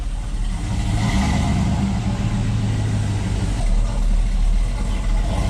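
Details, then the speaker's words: GMC Denali 6.2 V8 with BTR stage 2 truck cam and 2800 stall, untuned, first drive pulling away: lumpy, choppy rumble with raw puffing exhaust leaks; muffler held to the Y pipe by a ratchet strap. "Now it's got exhaust leaks. Y'all can hear them. We literally still have a ratchet strap holding the muffler to the Y pipe."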